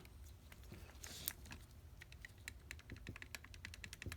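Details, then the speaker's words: Mismatched pair of Solex carburetors from a Mercedes 190SL, throttle shafts rocked by hand on the bench: dry, uneven clicks from play in both barrels of one carb and in the other carb; worn throttle shaft bushings. "Can you hear that? Definitely worn out. Let's check the second barrel. Worn out as well."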